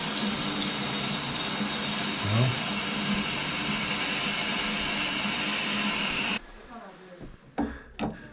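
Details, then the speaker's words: Shower, mainly when using shower not tub: high hiss of running water with faint fluttering squeal and sputter, stopping when flow cuts; caused by the shower head's rubber washer pushed up into the shower arm, flapping in the flow. "washer got the washer for your shower head got pushed up in that pipe and it's rubber so as that water is going through there that washer's in there flapping while the rubber that's what's making that squeaking noise too is that that rubber washer"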